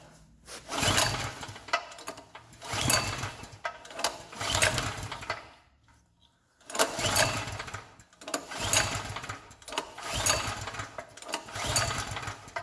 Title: Gasoline generator wont start